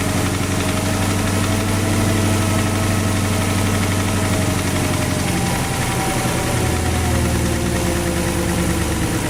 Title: Porsche Cayenne 4.5 v8 M48.00 стук в двигателе - engine knocking